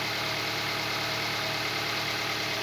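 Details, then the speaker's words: Toyota Vitz 2SZ petrol engine after a rebuild fixing a knock on the hot engine, pistons weight-matched; idles smoothly and evenly with a steady hum, settling very quickly, with no knock. "двигатель работает мягко отличным валуну устанавливается очень быстро"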